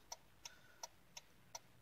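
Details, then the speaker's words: 2010 Hyundai Santa Fe 2.4: sharp, even relay clicks about three per second after the turn signal switch is released. The switch stays partially engaged, making faint contact that triggers the relay; it needs switch repair. "what's going on is basically the switches making a like a faint contact I guess and that's what's causing that relay to wanna go off but it's not actually causing the relay to"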